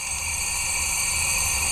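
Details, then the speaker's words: Engine off, cylinder pressurised; steady rhythmless airy hiss of air blowing past a leaking valve, and bubbles blow in the coolant; head to be pulled and two valves swapped. "That cylinder right over here is just blowing. I can actually feel it. You can hear it. It's down in there. It's a mess, y'all."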